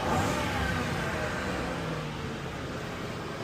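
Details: Ford Econoline van after a crank, no-start fixed by restoring 12 volts through a 100 amp fuse block near the battery: engine catches and runs with an even steady roar, no knocks, misses or stumbles; healthy.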